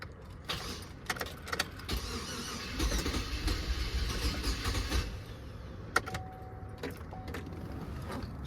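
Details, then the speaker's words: GMC Yukon crank-no-start after stalling: starter cranks, then on starting fluid sprayed into the throttle body it catches with a brief rough burst and dies, showing no fuel delivery. "so you see it did try to attempt to start for a little bit so that tells me we're not getting no fuel"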